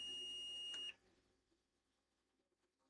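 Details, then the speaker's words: Electronics repair, multimeter continuity test on encoder rail: two steady high-pitched beeps about a second each, reading 2.3 ohms to ground; rail shorted to ground, encoder has failed and needs replacing. "2.3 ohms. That side is ground. Yeah, that's ground. We got a short."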